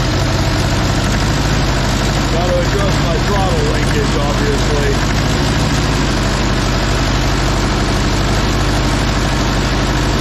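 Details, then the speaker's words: Case 188D diesel engine in a Case backhoe tractor, fire-up after a year-long rebuild, injector pump refitted: steady idle with an even low chug and no knocks or misses; normal idle. "other than that I'm pleased this punch sounds really good running good"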